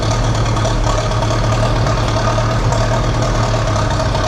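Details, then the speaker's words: Massey Ferguson TEA 20 tractor restarted after a Zenith carburetor rebuild, with no choke: a steady, even low rumble with no knocks, misses or surging. Normal idle, runs well. "It runs like really well, actually. Nice. And it sounds good."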